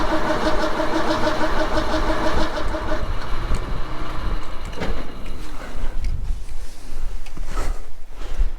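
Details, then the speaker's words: XF Falcon ute 351 Cleveland V8, carb needle and seat stiff from years unused: long cranking with no firing, fuel reaching the bowl only slowly; owner suspected a gauze or filter. "well it's coming out it's just slow I think maybe there's a gauze or maybe there's a filter in there or something"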